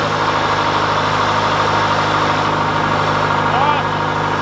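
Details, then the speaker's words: John Deere 410C backhoe diesel cold-started in winter after months unused and battery terminal cleaning: steady, even idle with a constant low drone and no knocks or misfires; healthy engine. "all right well that makes me really happy that that fired up"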